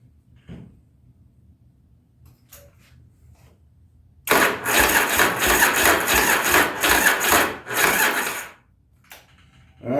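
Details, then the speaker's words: 1983 Yamaha Virago 920 barn find, long stored: about four seconds of labored, uneven, dragging cranking with no firing on a weakening battery; owner heard a little clunking and plans to charge the battery. "oh man that don't sound good I thought I heard a little little noise there a little clunking"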